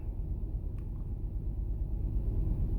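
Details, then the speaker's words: 2008 Toyota Sienna 3.5L 2GR-FE V6 at idle with dash lights on: deep uneven rumble with lumpy, stumbling pulse and excessive vibration; misfire from failed ignition coil B (code P0352, cylinder 2). "This engine is running rough. It is vibrating excessively."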